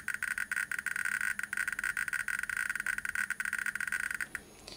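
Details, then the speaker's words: 1959 Soviet Sputnik-1 radiometer (Geiger counter), properly working reference unit on the ×10 subrange: rapid, crisp irregular clicks about ten a second, noticeably louder than the ×100 subrange, normal. "And it should be noticeably louder. Here's an example of a properly working unit."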